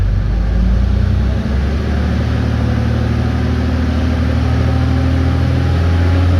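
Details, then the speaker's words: RAM with a newly fitted fan clutch, held at 2000 rpm for a couple of minutes per the manual to distribute clutch fluid: deep even drone with a smooth fan rush, no roughness; healthy after the repair. "it does say in the manual to run it at 2000 rpm for a couple minutes to make sure the fluid gets all around where it needs to get so i'm going to throttle it up"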